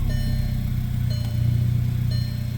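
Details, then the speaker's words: VW Jetta MK6 2.0T TSI starting after a high-pressure fuel pump replacement that cured hard starting and stalling on startup (worse in cold): catches and settles into a smooth, even idle, no stumble; soft dash chime about once a second; no leaks. "Looks like the Jetta is back. No more leaks. Starts right up."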